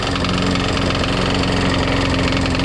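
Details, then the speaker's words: Craftsman Eager 1 mulching push mower, single-cylinder, just after carburetor replacement and priming: loud, uneven, rough idle with rapid knocking, engine smoking; blade not hitting, knock suspected in engine. "it's running kind of rough kind of smoking I mean it's sound bad but it actually doesn't look too bad it sounds rough though it's not hitting on the blade"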